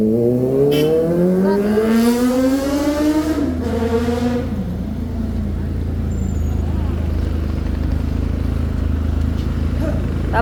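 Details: Kawasaki ZX-4RR after repair to remove backfire when revved hard: revs climb smoothly and drop back to steady running, no pops or bangs on overrun, clean healthy pull.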